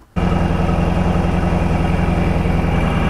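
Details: 1999 Lotus Esprit V8 idling with misfire, no spark on two cylinders; uneven, loping idle with lumpy beat about three times a second; ECU coil output terminal measured only about 10 V versus 12.8 V, wiring ruled out, ECU repaired.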